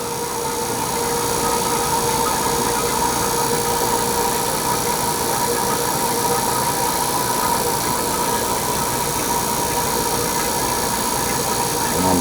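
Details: HVAC vacuum pump evacuating a system through compressor, coil and long line set, targeting 350 microns: steady, even motor drone with a constant mid-pitched hum and no knocks or surging; the pump is pulling down normally.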